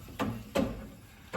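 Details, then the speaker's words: Car with all-new front suspension and two-piece brake rotors, rolling slowly: dull clunk every wheel revolution with light brake scrape, worse on driver's side; rattling two-piece rotors suspected; clunk once per wheel revolution. "but you hear that clunk every time. And on the driver's side, it's arguably worse. Now, when you're in the car, it sounds atrocious."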